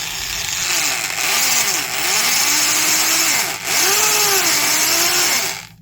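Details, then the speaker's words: Worn Milwaukee 0224-1 Magnum 3/8" corded drill: harsh gravelly grinding over motor whine, varying with trigger speed, like a box of rocks; worn undersized gear teeth, low grease not the root cause. "Already kind of sounds like a box of rocks. And even though there is very little grease in the gearbox, that isn't the root cause."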